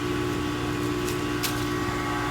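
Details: Heat pump outdoor unit after the wire connection was redone, with 26 V now at the reversing valve, running in air conditioning mode: a steady, constant compressor hum with even fan noise, no rattles or cycling; normal.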